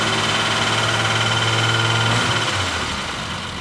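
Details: Cold straight-six after fresh plugs idles lumpy and rich with a low drone, revs falling away; revving a little better but needs choke and warm-up in a cold shop; car has an overdrive acting as fifth gear.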